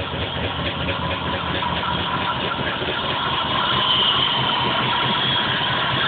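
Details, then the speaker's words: Engine at rough idle after new plugs replaced black, gas-smelling ones, P0300 random misfire code: an uneven, lumpy, stumbling idle with muffler and floor shaking violently; misfire, cause not yet found. "that's how it was running last night before i did anything muffler's shaking violently you even see the floor shaking"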